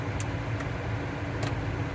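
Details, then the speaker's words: 2013 Chevy Cruze after clearing a rodent nest from the cabin air filter and replacing the blower motor: blower at full speed gives a steady, quiet whir with no roar, rattle or squeal. Normal blower. "anyway job done the blower is nice and quiet and uh gonna consider that a win"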